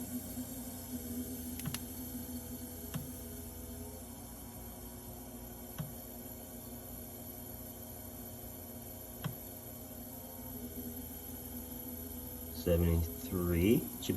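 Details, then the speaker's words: HNSE05SSRF mini fridge running with a wire jumper in place: a low, steady compressor hum with a faint occasional tick, refrigerant audibly flowing and no rattle. It runs smoothly and the unit is getting cold. "hopefully you can hear it compressor's running 72 you can hear the refrigerant flowing"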